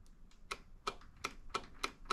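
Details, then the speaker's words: John Deere Z335E zero-turn mower, Briggs & Stratton 20HP V-twin that bogs and loses power: sharp, distinct clicks as the key is switched on and off, the fuel shutoff solenoid on the bottom working properly. "Now, when you turn the key on, you should hear an audible click. Now, I can hear that there."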